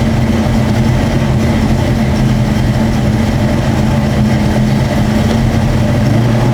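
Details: 1966 Ford Mustang 289 V8 with long tube headers, full dual exhaust and turbo-style mufflers at idle: deep, even burble, steady low rumble with no misses or ticks; healthy, smooth-running engine.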